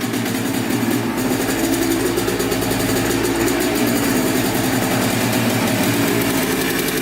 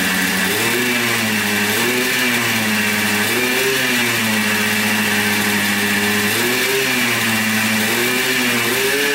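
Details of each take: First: Yamaha Blaster 200 two-stroke quad that bogs and has no power, idling up close with heavy white smoke: fast, buzzy idle that holds fairly steady with a slight hunt. Owner suspects a crank seal or an intake air leak running it lean. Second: 1996 Yamaha Blaster 200 two-stroke quad, previously bogging with no power, after carburettor rework (suspected flooding, needle clip in wrong position): crisp buzz revving up and down cleanly through throttle blips without bogging; normal revving, fixed.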